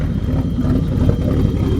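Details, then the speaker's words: BMW E30 with hard-starting/flooding issue, cold idle: uneven lumpy lope, surging and stuttering like a big cam; goes away once fully warm and smooths under load, cause unknown. "Here it kind of sounds like it's surging a little. So if anybody knows what would cause that, it's like it's stuttering, like up, and like it's got a now it's loping. Sounds like it's got a cam in it."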